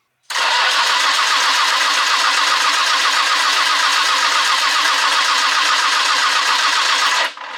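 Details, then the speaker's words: Nissan R33 GTR that would not restart after parking: starter cranks at about four beats a second for seven seconds without firing; no fuel pressure at the regulator, owner suspects fuse, relay or fuel pump. "By the looks of that, we're not getting any fuel pressure. I'm thinking the best place to start is to check the fuse and the relay, see if they're okay. If they're alright, then it possibly could be fuel pump problems."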